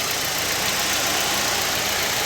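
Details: Fiat Fire engine after replacing a noisy timing belt tensioner bearing that had made a rattling sound. Now an even, steady idle hum with no whine, chirp or rattle, no warning lights, and the fan at 95°C: normal idle.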